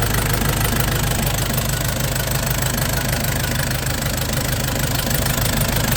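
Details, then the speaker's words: Nissan Big M BD25 diesel after repair and new radiator, idling steadily with even low clatter about three beats a second while bleeding air from the cooling system; running healthy. "พรุ่งนี้ติดเครื่องเครื่องติดเป็นที่เรียบร้อยแล้วครับเองติดเลยกำลังไล่อากาศระบบน้ำอยู่"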